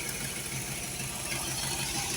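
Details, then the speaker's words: Holley 4412 carburetor after rebuild with homemade gaskets, throttle cable left off: steady, even idle with a smooth beat and no knocks or misses, light hiss in background, exhaust leak still unfixed, no fuel leaks seen; normal idle. "all right man we ever get that exhaust leak fix this thing will sound good if it stays running like this so yeah I don't see no fuel leaks I don't hear no leaks sounds pretty good"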